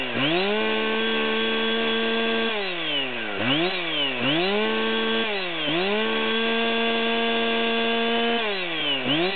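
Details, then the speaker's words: Chainsaw (462, 572 or 660 comparison; the 462 has a larger air filter, the 572 has flow mods) at no-load high idle around 13,840 rpm: revs repeatedly sag and recover every second or so, an intermittent miss at wide-open throttle. "So we can hear the miss at high idle still. We're at 13.84."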